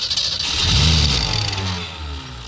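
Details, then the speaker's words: 1966 Mustang carbureted engine, flooding out, cranked with starting fluid after carb top and gasket pulled (big gap found): loud ragged burst of firing surges a second then sags and fades, catching only briefly. "i don't know if it's going to help much because it's more or less flooding out on us but it may help all right you want to crank it over oh it runs"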